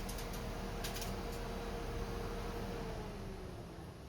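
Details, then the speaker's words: PSA-group car, low-speed radiator cooling fan activated via Launch Creader Elite V3 PC actuator test: quiet, even mid-pitched whir fading slightly at the end; fan works, scan tool reports no fault detected. "Donc là, j'ai activé le ventilateur. Je pense que là vous l'entendez."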